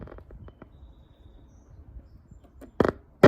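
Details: Old German valve radio in rotten condition, needing FM alignment, while switching from phono input toward AM: irregular faint crackles, then loud scratchy bursts over no steady sound; bad, dirty volume control.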